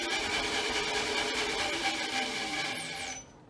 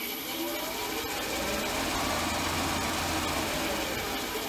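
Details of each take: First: Milling machine spindle running in reverse, belts noted as a little noisy: steady high motor whine with light belt hum winding down to a stop; the spindle runs smoothly. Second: Upgraded small milling machine running forward, with an emergency stop and DRO fitted: steady run with busy, chattering drive-belt noise at about four beats a second; the belts are a little noisy.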